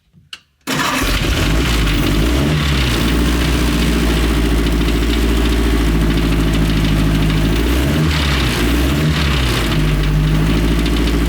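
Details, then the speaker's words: 1932 dirt track speedster race car with Ford Model A overhead valve conversion four-cylinder engine, restored, 4-inch exhaust pipe; fires up into loud throaty steady idle with small throttle blips: normal running. "This thing just sounds absolutely incredible. Big old 4-inch exhaust pipe over there belting out the notes."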